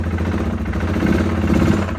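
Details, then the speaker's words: 2016 Polaris Sportsman 570 with codes cleared, revved under throttle: rough running with a heavy, muffled bottom-end clatter and very low power. A sticky connecting rod is suspected, likely never checked when a new top end went in; a dry top end is thought unlikely. "very low on power definitely got a crank issue unless for some reason that top end is very dry but I highly doubt it he probably put a new top end in it and never checked the uh connecting rod I after hearing that I'm pretty certain the connecting Rod's sticky and uh it needs to be replaced"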